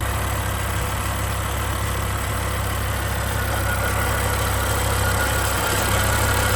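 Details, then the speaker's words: 2007 BMW M6 V10 with SMG, 67,000 miles: steady idle with a fast light rattle on top, about three per second; heat shield suspected, prying on the shields quieted it, not confirmed. "I did hear this weird noise, so I'm going to let you hear this motor. You can hear the van noise. You're going to hear the engine and all that stuff. But listen to this. Is it a heat shield that's making this noise?"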